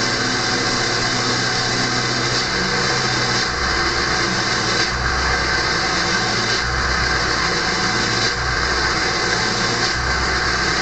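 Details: Early 1999 Ford F-250 diesel, cold start at 34°F on steady high idle during warm-up: with the exhaust back pressure valve (EBPV) closed, a thin whistle rides over the diesel clatter.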